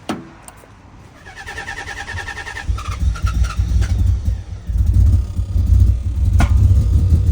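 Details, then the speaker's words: 1990 Nissan 300ZX twin turbo, first start after head, cam and timing belt work, unrun since 2018, old fuel, no catalyst. Lumpy idle with uneven thumps and dips. The miss is possibly caused by the old fuel. Misfire at idle. "Oh [ __ ] it's actually purring like a real car. You can hear the miss. The gas is still old in this car, so the mist could be caused by fuel."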